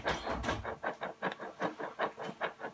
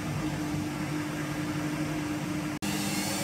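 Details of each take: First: Washing machine drum bearing turned by hand with the door open: gritty, crunching bursts about three times a second. A bearing has collapsed and makes the noise; the seal area is badly worn. Fix: replace the bearing set. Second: Washing machine after drum bearing set replacement, at full spin speed: steady even hum with only faint motor sound, the earlier rumbling drone gone; drum bearings now healthy, machine back to original sound.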